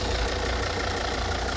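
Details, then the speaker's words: Volvo S80 D5 diesel, automatic, heard with the bonnet open on a freezing day; steady even diesel clatter at idle, no misses, knocks or surging; all new belts, no leaks, healthy smooth idle. "Absolutely sweet as you like."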